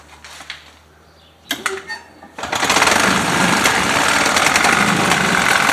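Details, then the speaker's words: 1977 Harley-Davidson golf cart with a 250 two-stroke engine, started after years of sitting, with a broken ground and a fussy forward/reverse selector: after handling noise it catches and holds a steady, buzzy, even rattle; normal healthy running. "other than that um she's not bad she runs good"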